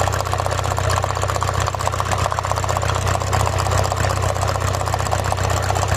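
Uneven, lumpy idle with a loping beat about three times a second; one cylinder is dropping out, a misfire. Cause suspected, not confirmed.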